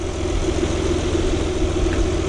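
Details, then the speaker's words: 2000 Saturn L300 3.0 V6 after timing belt job, briefly run with accessory belt removed: smooth even idle with no ticking, squeal or rattle, so noise is from an accessory, suspected power steering pulley or belt slip. "no noise huh not making any noise at all"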